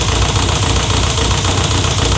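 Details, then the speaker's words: Renault 5 GT Turbo, first run in five years after a turbo rebuild. There is fast, loud metallic tapping over a lumpy idle that was not present before. A top-end tick with the cause unknown; valve-to-piston contact was queried. "It's quite tappy, isn't it? That sounds horrible. Doesn't sound particularly happy, does it, Tom?"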